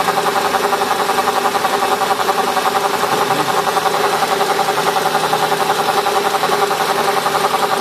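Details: Mercedes CLK 500 at idle: a loud, steady idle with a fast buzzing pulse of about three per second riding on it; the cause of the buzz is unknown.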